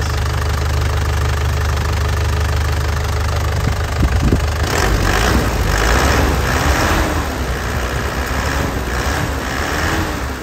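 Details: 2010 Isuzu Panther LS turbo diesel, idle then several throttle blips: the clatter rises and falls cleanly with no misses or knock. Smoke is clean and vibration stable. Engine sounds healthy.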